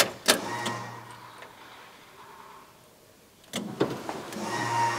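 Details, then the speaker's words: Reassembled vehicle before a 1,200-mile drive; after a click a faint low electric hum of the reconnected fuel pump priming and building pressure, repeated after sitting a while; no fuel leaks seen; fuel pump priming. "just prime it again it's been a while it's building pressure you can hear"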